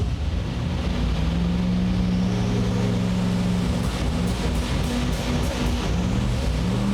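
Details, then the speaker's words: V8, first start with old spark plugs: deep steady rumble that sneezes and stumbles in short rough bursts on tip-in; sounds like a lean sneeze, found to be incorrect ignition timing. "but typically that's a sounds like a lean sneeze"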